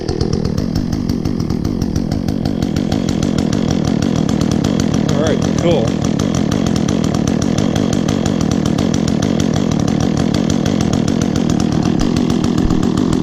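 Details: Echo chainsaw, chain worn from maple cutting, last run two or three weeks ago, started on choke after priming with chain brake on: steady high two-stroke buzz holding revs evenly without stumbling; bar oil spews when revved, normal running.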